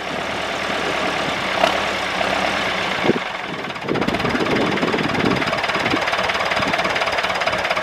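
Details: David Brown 996 diesel tractor, left sitting about 10 years: brief stumble and clatter on restart, then a steady, even idle without misses; normal idle. Throttle noted as stuck.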